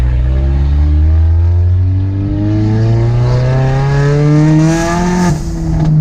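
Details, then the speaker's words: Ford Mustang EcoBoost with turbo kit and catback exhaust, resonator tips removed, recorded on a highway drive: loud, deep, booming note rising with revs and a heavy low drone; sounds good at high RPM but poor in normal driving. "See, I mean, it sounds great when it's louder, but like when the RPMs are higher, but just driving, it just doesn't sound good. But yeah, but the main thing was that when I'm on the interstate, it's so loud."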